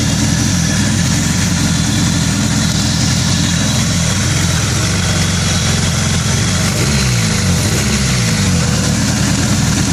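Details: 2000 Acura Integra; rough, uneven idle with a stumbling, lopsided beat and irregular low thumps; engine misfire at idle, cause not yet found.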